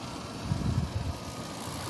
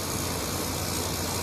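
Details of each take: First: Kenmore PlasmAire low-profile 6000 BTU air conditioner with LG compressor, curb find, in cool mode; steady compressor hum and fan rush with a light quick rattle growing as it settles. Owner suspects the panels rattling. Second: Kenmore PlasmAire low-profile 6000 BTU air conditioner with LG compressor, curb find, in cool mode; smooth even hum with soft airy hiss, no knock or rattle, compressor running quietly and normally.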